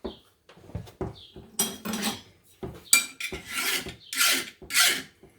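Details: Farrier's file test on forged steel: short, harsh, high-pitched screeching strokes as the file skates and squeals across; the steel is hard enough and passes the test.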